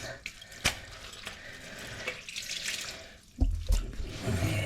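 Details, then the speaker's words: During toilet replacement, a supply stop was pulled with the water not shut off: quiet room then a sudden gushing spray of water from the open pipe end, flooding the floor; suspected overhead water piping. "That must be overhead water piping. Okay, so get this cleaned up here. Look at all this fucking water."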